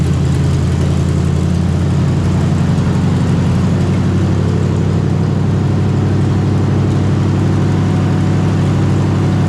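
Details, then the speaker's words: 454 big-block V8 in a Civic, cold weather, no coolant, choke open, timing about 10° at top dead center, new out-of-box carburetor: deep, steady burble at fast cold idle, even firing, no knocks; normal cold idle. "lucky it's so gosh darn cold out here it's going to take a second for the big block to warm up we can run her for a few seconds"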